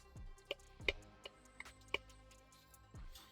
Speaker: one of the things you can notice about that is listen to the sound. That's a rod knot.